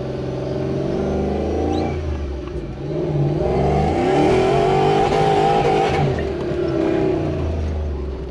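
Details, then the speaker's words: Supercharged Toyota Hilux with Lexus UZ V8 conversion, after fix, full throttle in third gear; strong clean pull, pitch rising smoothly with revs, no misfire or stumble: normal acceleration under full throttle. "how's that it hasn't gone like that for a while so that was on third just put your foot into it"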